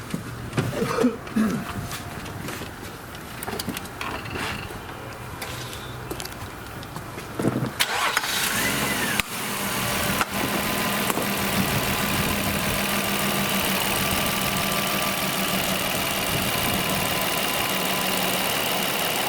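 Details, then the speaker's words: Nissan Murano engine started and given throttle: a thin, steady whistle above the engine hum, first blamed on the CVT but caused by an air leak through a worn rubber silent-block bushing. "Какой неприятный свисток. А Вася подумал, что это вариатор. Там . Но оказалось, что дело было не в вариаторе, а именно в утечке воздуха в этом сайлентблоке."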